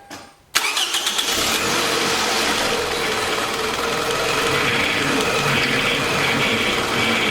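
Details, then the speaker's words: 2006 Toyota Camry 2.4L, first start after replacing a knocking high-mileage engine: quick crank, catches at once, brief rattle in the first second while oil circulates, then smooth steady idle, no leaks; normal start and idle. "so far sounds good [Music] there's no leaks up under it"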